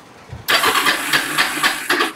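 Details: Kawasaki Bayou 300 ATV parked about two years, after carburetor cleaning, on choke with fuel on: quick crank with uneven chuffing pulses for about two seconds that never catches; turns over but won't fire, probably fuel-related.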